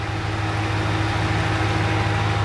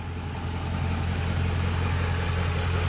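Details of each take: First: Truck first cold start of the morning with a light fast tick over the idle that sounds like a lifter tick but already fades within a minute as it warms; an exhaust manifold leak, louder on one side. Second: Truck engine at warm idle after about three minutes of running, hood open: smooth, even low rumble with no ticking from the manifold, unlike the exhaust-leak tick; normal warm idle.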